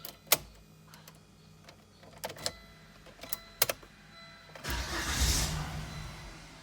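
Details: 2000 Volvo S70 with fuel pump relay bypassed, fuel pump heard running: a few clicks then about two seconds of cranking that almost catches but dies; won't start, cause not confirmed.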